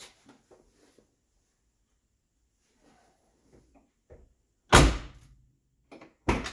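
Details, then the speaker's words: 1979 Lincoln collector series door after replacing the door striker bolt and lubricating the latch: one solid thunk shut and a clean pop open, no grinding, sticking or loud click; latch working normally. "first try hear that pop can't beat it pops right open this is the best one so far I love it that's the sound of a Ford Mercury Lincoln door right there folks"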